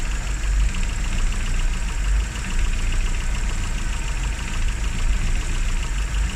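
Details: Classic Rover Mini, points ignition, after about three months unused and a hard cold start: steady even low rumble, no misses or knocks, idling smoothly. Normal idle; run at least 30 minutes or drive an hour after a lay-up.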